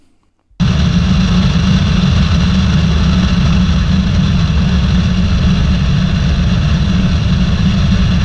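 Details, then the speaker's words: Light airplane power-on stall practice, full-power audio: engine snaps from quiet to a loud, steady full-power roar with no surging or stumbling; healthy run. "Okay, so now I'm going to play the full clip for you again, this time with the real audio so that you can hear the engine roaring to life."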